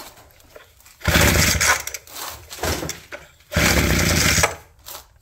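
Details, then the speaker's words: Abandoned roadside two-stroke hedge trimmer, reassembled with throttle cable refitted: catches and revs hard in two strong bursts with steady idle between; running cleanly on its own. "No way. Yeah! What a sweetheart. It's pretty cool."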